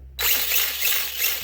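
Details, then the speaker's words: Traxxas LaTrax prerunner RC truck after fitting a Surpass Hobby brushless motor and ESC on 2S LiPo: high, steady whir from motor and gears with no clicking or chatter, sounding a lot better; smooth gear mesh. "That sounds better. That sounds a lot better."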